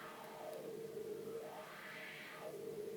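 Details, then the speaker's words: Wah pedal after adjusting the potentiometer wiper to press firmly: smooth sweep rises and falls through the amp with no crackle or scratch; scratchy pot noise fixed. "and as you can hear it's fine now so let's proceed to put it back together"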